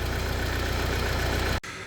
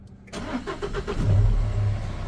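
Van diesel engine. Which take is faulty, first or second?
first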